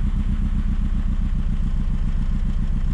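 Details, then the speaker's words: VW Scirocco MK2 ABF engine conversion with rebuilt Yamaha R1 carbs, just after first start; deep lumpy idle, uneven beat about two pulses a second, idle and distributor timing still to set; uneven idle. "So I think I have to set the idle. It's not very happy somewhere."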